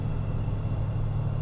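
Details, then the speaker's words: 1971 Buick LeSabre Custom 455 V8 warming up: smooth, even low rumble with no valvetrain ticking; normal idle. "good news is I don't hear any ticking yet"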